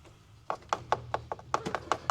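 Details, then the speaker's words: 2015 GMC Yukon Denali, 165k miles, EVAP line near the canister purge valve: short dry maraca-like rattling, about five shakes a second, no engine. Loose charcoal from a broken canister, blamed on topping off the tank. "charcoal coming out of this line. You can hear it too. Yeah, you can hear it. You can hear it in the line. Like a maraca."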